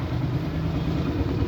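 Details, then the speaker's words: Suzuki Burgman scooter with ISC problem, won't start without throttle, before ISC calibration: low, slightly uneven deep thrum idling around 1,100–1,300 rpm versus a 1,700 ±100 rpm neutral standard; low unstable idle. "so mapapansin niyo ang ang idle speed lang niya Naglalaro lang siya ng 11 hanggang 1,2 yan So yun langan na 1,3 naman So yan yung idle speed niya pero ang standard niya dapat"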